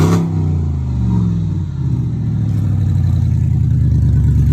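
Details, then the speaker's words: 2002 BMW 745i V8 after a no-start fix (flood-damaged electrics, ABS module draining the battery): deep, loud V8 rumble with coarse burble through the revs because both catalytic converters were removed and sold. "and the catalytic converters are are gone due to someone selling them as parts and that's why this vehicle is that loud"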